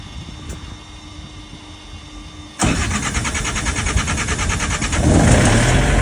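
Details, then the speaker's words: Trailer reefer unit diesel that quit at a truck stop, filters about 1,000 hours old; catches hard then runs rough and uneven, fuel starved with air in injector lines; hard start from air in fuel lines. "I heard it kind of sputtering and trying to start, but what it will do is it would start and right away it would die. So it sounded like it wasn't making any fuel pressure like at the pump."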